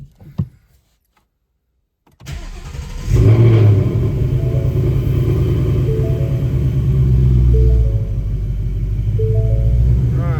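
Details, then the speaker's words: 2018 Mustang GT with a brand-new crate engine after an engine and transmission swap, about 3,940 miles: a clean start, then a steady, even V8 burble with a light blip. No check engine lights; a healthy start and smooth idle. "no check engine lights good to go sounds nice and smooth"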